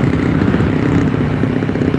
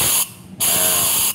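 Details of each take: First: Yamaha Force on the road near 90–100 km/h in third gear, after a loose spark plug was tightened: engine pulls steadily under road and wind noise with no stumbling or popping; misfire gone, normal running. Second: Yamaha Force motorcycle, cylinder pressurized through the exhaust side: two sharp bursts of air hiss as air escapes past a valve held open by about 1 mm of carbon buildup; severe valve leak causing loss of power.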